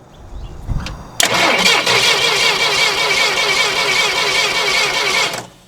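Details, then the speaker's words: 1980s Yale/Eaton 6,000 lb forklift, sat eight years, cranking before coil replacement: steady, even starter beat with no lazy or fast strokes; compression sounds equal across all cylinders. "God it sounds really good sounds like it has equal compression across the board"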